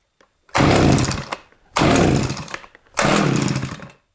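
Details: Eskimo Stingray 33cc two-stroke gas ice auger, after replacing old brittle leaking fuel line, choke on: three pulls each catch into about a second of buzzy running before dying.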